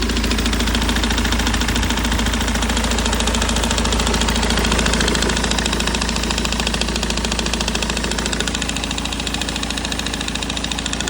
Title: BMW E90 320D M47 Knocking sound -:(faulty Water Pump- Bearing)